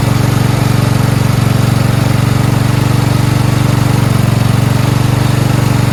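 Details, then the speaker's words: Four-wheel-steering lawn tractor "Rodimus Prime" with Nikki carburetor, after carburetor and fuel line replacement and ground fix: single-cylinder thumps steadily at about four beats a second, even and unwavering; normal idle. "finished sounds great who says nikkis don't run right they run okay just depends on what kind of Nicki original or third party yeah that's that starts really well nice"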